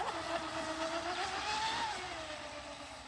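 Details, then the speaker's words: 24-inch Mystery hybrid stepped-hull RC boat (carbon bottom, fibreglass top), electric motor, first run on water: whine climbs steadily in pitch over water noise, motor revving freely; it takes off quicker and sounds like more revs after it had been loaded up too much before. "Oh yeah, that's faster. Sounds better. Like, sounds like it's doing more revs."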